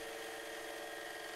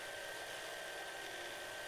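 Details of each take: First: Lathe spinning two short steel rod pieces pressed together in a TriboDyn three-stage lubricant test. With pressure increased, the second stage works and the sound smooths into a steady, even hum. Normal lathe running. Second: Lubricant friction test in a lathe with two short steel rods pressed together under fully oiled conditions: steady, strained hum with a thin high whine as the shaft slows under increasing pressure without seizing; spindle bogging under friction load.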